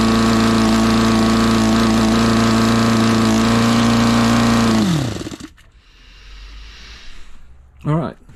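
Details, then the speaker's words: New Saito FA 62B four-stroke glow RC engine during break-in: steady high buzz, then rpm creeps up as air bubbles enter the fuel line and the tank runs out, engine dying away; leaning out as fuel runs out. "so as you heard there guys the the rpm just started to climb up and you i don't know if you can see it through the fuel tubing you can see all the air bubbles so it was just starting to run out of fuel"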